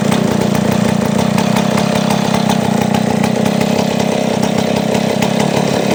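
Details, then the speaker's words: Small two-stroke chainsaw after cleaning a clogged internal passage, idle speed now dropped from previously high and not yet readjusted; ticks over at a steady even buzz without surging or hunting, normal clean idle. "So bumaba na siyang menor ngayon. Dati nataas yan ngayon. So kailangan na siya i-adjust dahil nalinis na yung kanyang ah bara."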